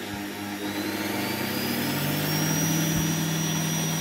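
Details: Salvaged universal washing-machine motor with speed regulator, mounted for a drum sander: steady even hum, no knocks, rattles or vibration, holds speed without variation; running smoothly.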